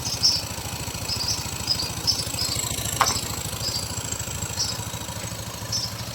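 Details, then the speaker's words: Yamaha Mio 125i scooter whose faulty fuel injector caused hard starting and stalling: even quick putter at idle with no misses or stumbles; idling cleanly. "อ่าติดแล้วนะครับเดี๋ยวล่อสักครู่นะก็ติดแล้วนะครับ"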